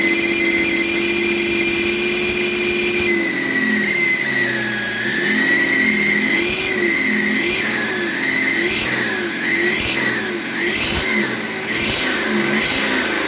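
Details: BMW E38 with M57 B30 diesel, fitted with a reconditioned turbo that whines like the old one: a high, thin whistle rises and falls with revs. Unplugging the variable-geometry control valve connector stops it; plugging it back brings it back.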